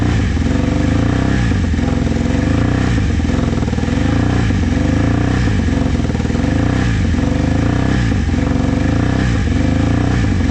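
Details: Vintage motorcycle from a trailer batch, started with starting fluid. Uneven revs surge and sag every second or so, held up on throttle with no settled idle. Owner says the carbs need cleaning.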